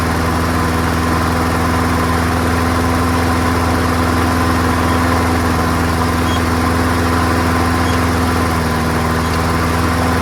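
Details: Free, old, rusty, worn-out Honda self-propelled lawnmower, started first pull on a small test fill of gas, with oil clean and full. Steady, even engine hum at constant speed with no misses, surging or knocking. Runs healthy on its own; carburetor judged not to need cleaning.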